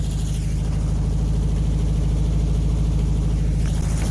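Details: 1968 VW Bus air-cooled engine, revived after years of storage and an engine fire with new wiring, plugs, points and condenser: deep, steady low rumble with even firing pulses, no knocks or misses; normal idle.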